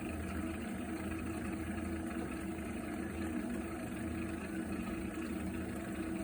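Steady low droning rumble with a faint warble, constant throughout while heating water; abnormal boiler noise, cause unknown.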